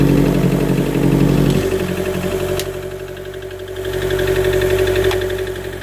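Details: 2013 Chevy Volt petrol engine idling unevenly, stumbling and swelling as cylinders drop out; misfire with P0101, worsening power loss and shutdowns; dealer blamed MAF but replacing it, plugs and coil pack didn't fix it.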